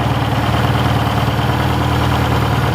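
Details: 1967 Toyota RT40 Corona engine: steady even low idle with smooth beat, no knocks or stumbles; engine runs sound, goes into gear well, clutch needs bleeding; normal idle.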